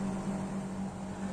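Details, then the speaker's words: Split air conditioner outdoor unit on a 38 °C day, after replacing the failed condenser fan motor capacitor that caused low fan speed and high-pressure cutout: smooth low hum with strong steady airflow; normal condenser fan operation. "Yo creo que ahí ya se dieron cuenta cómo arrancó y que se nota la mayor velocidad y el viento que está tirando."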